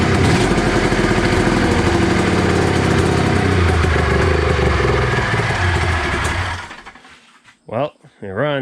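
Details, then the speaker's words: 1993 Arctic Cat Thundercat 900 two-stroke triple at first start after one pull: loud, rough running with a raspy, spitting exhaust, then it dies after a few seconds. There is a major exhaust leak, and the carbs still need going through. "got some major exhaust leak issues to deal with um and the carbs are obviously gonna have to be gone through but it runs man"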